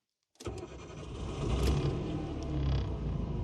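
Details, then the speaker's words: Nissan Micra K11 started cold after sitting a long time, in neutral, six-month-old battery recharged after going flat, alternator suspected: short crank, then catches and settles into a steady low cold idle with no misses; starts normally. "okay it has come to life sounds very cold as you'd expect this car hasn't been run for quite some time"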